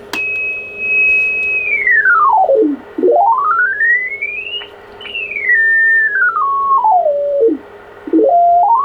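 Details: ICOM IC-751A transceiver receiving on 28 MHz, being repaired for bad trimmer caps in the VCOs: a clean tone glides smoothly up and down as the dial is tuned, with no hum, crackle or distortion; normal receive audio.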